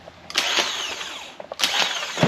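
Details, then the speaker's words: Chevrolet Biscayne starter tested with jumper leads: two quick bursts of high, even whirring, each with a clack as the gear throws out and spins freely; starter is good. "Okay, it works. Is it coming out and spinning? Yeah. There you go. So your starter's good."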